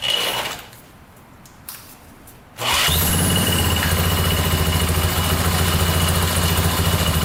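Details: 1987 Yamaha Warrior 350 single, started with a drill after the carburetor began taking gas: quiet, then it catches at once and settles into a steady, even thumping idle with no misses.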